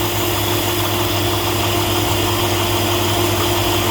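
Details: 2002-2014 Chevy 5.3 V8 (Tahoe/Suburban/Avalanche), serpentine belt tensioner work for squealing and scraping from the pulleys: even, steady idle hum with no chirp or squeal rising above it. The belt drive is quiet.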